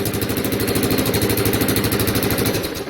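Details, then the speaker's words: Honda ATC200e three-wheeler with a rebuilt engine that starts without choke, at fast idle: a sharp, raspy, even puff on every firing pulse. Owner suspects exhaust leaks from pieced-together bits of random pipe; not confirmed. "oh yeah it sounds like exhaust leaks there's a couple bits of random pipe in there"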